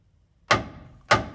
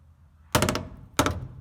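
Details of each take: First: 1985 Toyota pickup 4WD frame, section under the bed replaced with 3/16-inch steel in 2011, hammer test: two crisp strikes ring cleanly and decay evenly, no dull thud; solid frame. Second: 1985 Toyota 4WD pickup, Ohio road-salt truck, frame hammer test under the passenger side of the cab: five dull, dead hammer blows with no ring, then lighter taps. Frame rail is hollow and rust-thinned inside.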